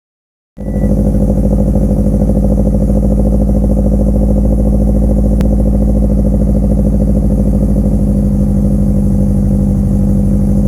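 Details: 2007 Subaru STI idling rough and lumpy, about three stumbles a second, with misfire on all four (possibly three) cylinders.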